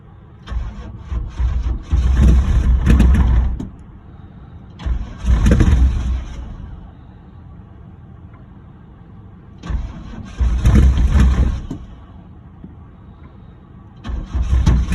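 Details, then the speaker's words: Chevrolet Camaro cold start after sitting 6 months, on jumper cables after the battery died from cranking: repeated bursts of steady cranking a couple of seconds each, deep churning but no clean catch; struggles to fire. "uh the Camaro here has been sitting for a minute uh I cranked it till the battery died didn't want to fire"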